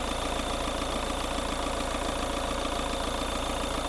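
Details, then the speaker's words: Diesel with heavy blowby, revved after adding oil stabilizer to revive piston rings: steady, even running with no rod knock, smoke said to carry no oil; no knock, heavy blowby not distinct. "wala namang katok eh walang katok eh Sige sige rebolusyon nawala Oh nawawala oh Oh hinihigop eh pag Ang tindi ng usok"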